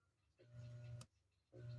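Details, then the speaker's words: Three-wire washing machine motor connected for testing without its capacitor: short bursts of steady low mains hum with no run-up; it hums but will not start for want of the start capacitor. "escucho un zumbido Aquí también ven dónde se escucha más intenso el zumbido"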